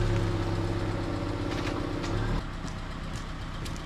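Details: 2003 Subaru Legacy Wagon idling to warm up after leaking exhaust was patched with J-B Weld wrap, exhaust wrap and baling wire: steady low rumble, no ticking or puffing; formerly very loud, now barely audible; normal idle, no leak heard.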